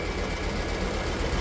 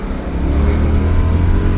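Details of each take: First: BMW E39 M5 with Dinan S1 conversion, started after sitting two months and put back to stock intake with adapters: steady V8 idle with a fast ticking that keeps pace with engine speed. It is lifter tick, which the owner hopes a drive will clear. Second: BMW E39 M5 with Dinan S1 conversion and carbon intakes, warmed up after a 5-10 minute drive: deep, even intake induction roar swelling under hard acceleration, then easing off; a healthy engine.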